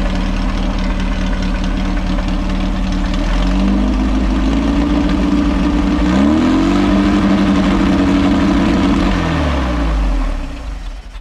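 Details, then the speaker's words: VW Baja Bug with a stinger exhaust, revived after long neglect, on its first start. Revs climb from idle and stay high until it is shut off, because the pedal did not return. Sticky throttle cable, to be lubed. Stuck throttle. "is that it or you shut it down yeah i just shut it down because i i pushed the pedal it didn't come back and i have to lube the uh i'm gonna have to lube the cable"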